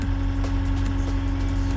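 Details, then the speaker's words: John Deere 3520 diesel tractor started at -20 on January 1 and warming up: steady idle with a constant mid-pitched hum on top. The hydraulic system is catching up while the oil is cold. "You hear that in the engine? That's the hydraulic system sort of"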